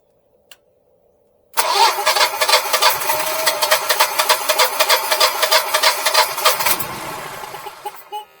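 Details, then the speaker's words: Generac Guardian 4456 backup generator after maintenance including spark plugs: rhythmic cranking about three beats a second for five seconds, catching briefly then dying; owner suspects air in the lines. "it was on and then kicked off did you hear that try it again baby try again we're gonna keep trying"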